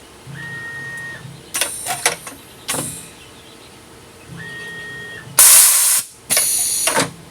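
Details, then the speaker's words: Tormach PCNC440 mill after replacing the ATC low-pressure switch: normal pneumatic tool change with short air blasts, sharp hissing bursts and brief tones; the new switch detects low pressure at about 80–85 PSI. "still works fine um I did check it with uh lowering the pressure and it does detect low pressure at about 8085 PSI so works out pretty good"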